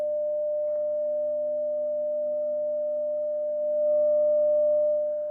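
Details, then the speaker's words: Telefunken Gavotte 55 tube radio after recapping, 600 Hz test signal from a signal generator: clean steady tone on a strong, unchanging low buzzing hum that swamps the signal on the scope; mains hum. "okay well that's rather disappointing because there's quite a bit of hum a lot of hum here my signal's there but the hum is really taking over"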